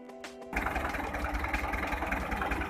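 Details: Hyundai 1.25-ton truck diesel, sudden clack while driving, then rough shaking and heavy smoke: an uneven, lumpy idle as cylinder 3 does not fire while cylinders 1 and 4 fire; timing belt and injection timing to be checked.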